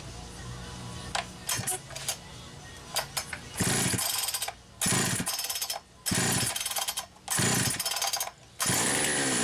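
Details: Poulan Pro 525 chainsaw (essentially Pioneer P52), governed carb, carb gasket issues repaired: won't settle to slow idle, holds a high buzzy tone and surges unevenly even with idle speed screw fully backed off; high idle, cause unknown.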